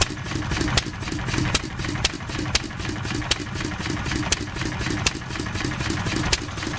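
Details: 1-1/2 HP McCormick Model M engine running poorly: slow steady chuffing with sharp pops only every few strokes, about twice a second; exhaust valve closes every cycle but it doesn't fire every cycle; owner suspects poor fuel mixture or weak magneto, unsure.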